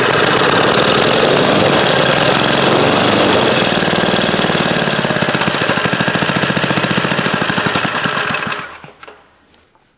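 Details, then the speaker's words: 1956 rototiller single-cylinder engine, unrun for years, after reassembly, started with two-stroke gas poured into the carburetor: fast sharp popping for about eight seconds, slowing and fading as the priming fuel runs out, then stopping. "that thing hasn't ran in years I can't tell you when the last time it ran um wow and it seemed to run pretty decent too"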